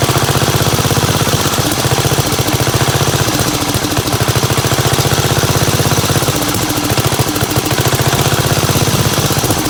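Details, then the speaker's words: 1975 Gravely 816S single-cylinder tractor engine, fuel valve opened and closed by hand to keep it running: loud, uneven chugging that surges and stumbles; rough running, owner suspects a stuck carburetor float leaking gas out the back. "WELL, I WAS opening and closing the fuel valve up here in the gas tank the whole time in order for it to run. So, I think it's going to run. But, definitely the float's stuck or something cuz it's just pouring gas out of the back of the carb."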